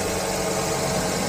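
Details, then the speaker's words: Toyota Vios Gen 3 sedan, 125,368 km, engine started in neutral with AC off; quiet, steady, very smooth idle hum without stumbles or tapping, not rough; idling normally. "Kayak gini. Nggak pincang juga, nggak kelihatan pincang. Dari suaranya juga masih normal semua."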